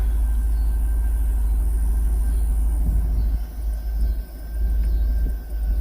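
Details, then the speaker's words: 2000 Cadillac Escalade V8 idling at about 900 rpm after the distributor cap and rotor fix cured a crank-no-start: deep, steady low rumble with no stumble or hunting. This is the highest idle since it was bought. "that's the most it's idle since we've had it."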